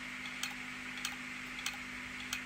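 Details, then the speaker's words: Opened hard drive powered by a PC power supply: sharp clicks about every 0.6 seconds over a steady spindle hum, the click of death. The platters spin up, the head searches, finds nothing useful, and the drive shuts down. "giving that click of death that they always talk about."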